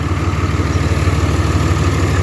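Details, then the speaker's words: 2004 Ram diesel truck, 251,000 miles, worn throwout bearing but idle good: deep, even rumble with a steady low pulse, no misses or knocks; healthy normal idle. "And it does have a worn throwout bearing as well, but idle's good and everything."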